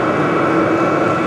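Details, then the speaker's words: Vevor diesel heater just turned down to low, drawing about 20-30 watts. Fan and exhaust toning down to a steady, even whoosh with soft hum and no knocks or rattles; normal running on low. "I already hear the fan slowly toning down I heard the exhaust toning down the whole machine's getting a lot quieter now"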